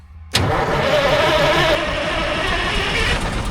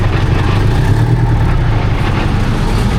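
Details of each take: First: 1972 Diamond REO C116 truck, 8V71 diesel sitting about 20 years: spins over briskly for a few seconds but never catches, then dies away; fuel prime suspected lost. Cranking no start. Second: 1972 Diamond REO C116, 8V71 diesel revived after about 20 years sitting, straight pipes: deep, steady drone with an even firing beat and no misses, hitting all eight cylinders. Normal running.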